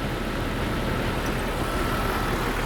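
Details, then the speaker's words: Jeep engine at idle with a rough, uneven low rumble, a misfire that started about a month ago, first on startup only; the secondary ignition waveform on a scope shows the misfire. "Don't like that pattern all that much. Let's trigger that. There's your misfire."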